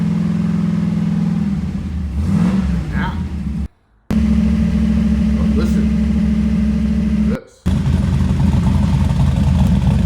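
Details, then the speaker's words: 1991 Camaro Z28 built 305 TPI small block, Trick Flow Super 23 heads, TPIS Lil Chubs cam, FiTech EFI, not yet tuned: choppy loping cam idle with sharp throttle blips revving and settling cleanly; healthy engine. "That's a 305, and that's a beefy 305. That's a mean sounding 305, and the funny thing is, it's not even tuned yet."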